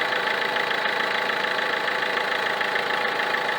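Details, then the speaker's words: Peugeot 307 2.0 HDI 110 hp diesel, idling, checked with a wooden stick stethoscope on the alternator: steady pulsing buzz, a bit over two beats a second, out of rhythm with the engine; worn Bosch alternator decoupler pulley. "j'ai senti des vibrations anormales au niveau de l'alternateur autre que les avec un autre rythme que les vibrations provenant du moteur"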